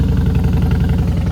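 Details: Fuel-injected motorcycle started with electric start after fuel priming, in neutral: steady, even low thrum with smooth, regular firing pulse and no knocks or misses, a healthy idle right after starting.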